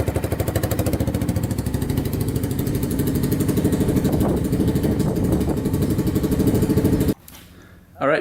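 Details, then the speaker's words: 2006 Polaris Outlaw 525 quad after carburetor cleaning; quick even single-cylinder putter holds steady several seconds without stumbling, then shut off. Stalling when driving forward gone after carb clean. Normal running. "this thing is running good uh the carb clean seemed to fix it so it wasn't shutting off when i uh went forward anymore so i think the carb clean was the issue"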